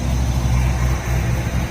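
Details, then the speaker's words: Nissan Hardbody D21 truck being built to 400+ hp, new AEM fuel pump on rewired relay, new exhaust with switched cutout; starts right up, steady even low idle rumble, not overly loud, no leaks, knocks or hunting; healthy idle. "It's not overly loud. It sounds nice. Nothing is leaking. Everything is happy."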